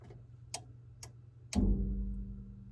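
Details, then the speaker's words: Bosch Greenstar combi boiler with First Company Aquatherm air handler not heating; three sharp relay clicks, then a fourth briefly bringing in motor hum, blower only bumps and stalls; technician suspects bad control board relay, unconfirmed. "I can get um the unit to click and the motor will bump"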